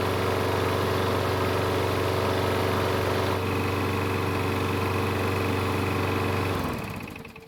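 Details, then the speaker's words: Craftsman push mower with Briggs & Stratton auto-choke engine, cold start after basic carb service: starts on first pull and runs smooth and steady, then winds down cleanly at shutoff; normal running. "so even after a basic carb service it started with no issues on the first pool mind you which is pretty good for an auto choking system"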